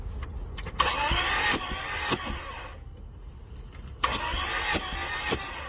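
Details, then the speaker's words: Toyota Tarago/Previa/Estima engine after head gasket replacement, cranking to prime fuel and oil and feel compression: starter turns it sluggishly in two short uneven bursts, no firing; slow cranking from very low battery. "Unfortunately, would have been nice compression, but my battery is really low, so it barely turned over."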